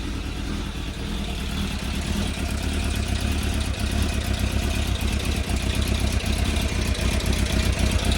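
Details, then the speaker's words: Suzuki Bandit 600 four-cylinder, new plugs fitted, tank loose, choke off, fast idle: uneven stumbling beat with dropped firing pulses; plugs ruled out, one cylinder warming slowly, owner suspects fueling, possibly carbs need rebuild; cylinder misfire. "that one's warming up slowly now so I don't think that one is getting enough fuel to it it's only just starting to warm up"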